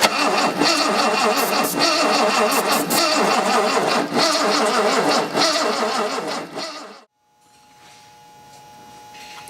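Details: 1970 E-type coupe that sat about 4.5 years: steady cranking at about 3.5 beats a second for seven seconds with starting fluid in the carburetor, never catching. Owner suspects weak ignition; cranks but no start.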